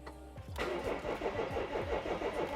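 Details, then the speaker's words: BMW E46 330d cabrio diesel, started using a jump board: the starter turns over sluggishly at about five heavy pulses a second before the engine catches; slow cranking, cause not yet found, codes to be checked. "oh oh that was a bit slow on Startup then we've got some more problems somewhere"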